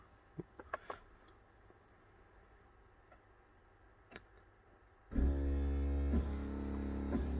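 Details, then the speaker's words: BMW E53 X5 brake bleed via DIS V44 with the bleed valve open. Light clicks, then a steady low motor drone as the ABS pump runs. After it stops, the pedal is pressed five or more times. "so at this point the bleed valve should be open, and as you can hear, the ABS pump is working."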